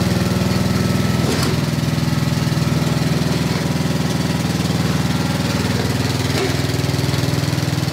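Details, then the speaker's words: 1990s Snapper riding mower, Briggs & Stratton engine, sat for years, brake on: even steady chuff at constant idle, no misses or knocks; motor sounds great, idle not bad. "run that motor sounds great [Music] that's the idle that's not bad"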